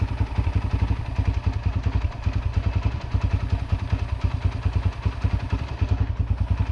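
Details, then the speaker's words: Yamaha TT-R125 barn-find dirt bike revived after about 10 years sitting, warmed up: single cylinder thumps at a steady even idle with no misses, smoking heavily; normal idle. "Well, listen to that baby just sit there and purr and smoke like a chimney."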